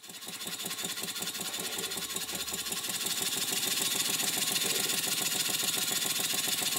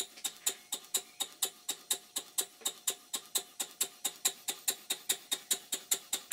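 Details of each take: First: Stuart 5A model steam engine bought online, running on standard 1000-grade steam oil as pressure is turned up; quick even chuffing about three and a half beats per second building with pressure; running smoothly, slight flywheel runout noted. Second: Stuart 5A model steam engine bought online, originally not working, running after crankshaft bearing top cap refitted; sharp crisp ticks about four per second; connecting rod small end very sloppy in the crosshead, though the engine runs.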